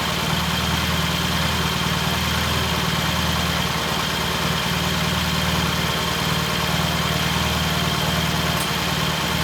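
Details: 1968 T100 vintage British twin, first start after a new battery was fitted: steady, even idle with a regular low beat, no misses or knocks. Ignition timing was checked and found dead on, mixture good; the throttle cable had no slack. Normal idle.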